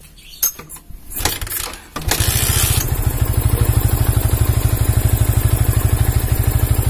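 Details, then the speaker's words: Yamaha Vixion New motorcycle that would not start, running with a capacitor jumpered in place of the battery: fires and settles into an even, regular idle with no stumbles; charging measured at 14 volts; normal idle. "Oke masih hidup melawan Oh ya udah bener uh 14 ya 14 volt yang 14 volt ya ini langsam stasioner enak ini transfernya"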